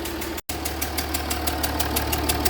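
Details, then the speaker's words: Jaguar XF S 3.0 diesel running with the engine cover off. A loud rhythmic chuffing that changes with revs comes from low in the engine bay, smells strongly of exhaust and sends smoke into the cabin. Compression is leaking past an injector seal. "Yeah, you can hear that, that's quite a loud sort of chuffing sound. And it's coming from down there, so let's have a look what it is."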